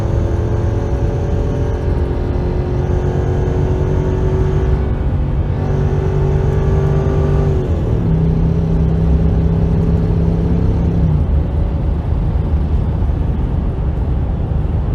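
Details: Land Rover LR3 4.4 V8 held at a few steady rev levels with light ticking under the engine hum; owner unsure if exhaust leak at low speed and load or valvetrain noise.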